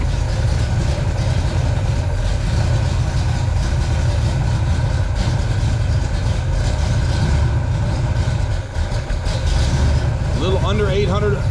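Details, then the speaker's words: Pontiac 421 (.030 over, 1969 big-valve heads) first started in seven years, warm at 170° with 40 psi oil pressure. Its carb is set for a stock 389 and was running slightly lean, so the choke was adjusted. Steady, even low rumble just under 800 rpm, no knocks or misses; normal warm idle. "as you can tell folks this one has a [Music] Canon got to love that sound people"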